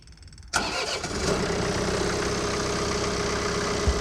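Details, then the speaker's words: John Deere 4052R compact tractor diesel, restarted after changing primary and secondary fuel filters with the fuel initially shut off; starter catches, engine fires into an uneven idle with faint whistle, likely fuel starvation after the filter change. "see told you don't be alarmed it's not the first time it's happened to me just trying to get fuel and everything"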